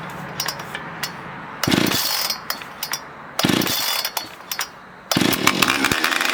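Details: Husqvarna 460 chainsaw with brand-new piston and cylinder fitted after damage from cheap 2-cycle oil snaps up to full revs in short crisp bursts and drops back cleanly; strong, even running with no misfire.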